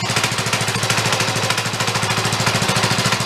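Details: Neglected DR Power Wagon small single-cylinder engine with dirty oil: smooth, steady, fast even firing with no misses or hunting; now running well.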